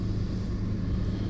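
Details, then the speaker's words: Old Kia Soul, idle after replacing rotted exhaust pipe that was horrendously loud: steady even low rumble, small exhaust leak barely audible; good enough, exhaust sounds sealed. "It was horrendously loud with that pipe rotted out. Yeah, you can barely hear that exhaust leak. That's good enough."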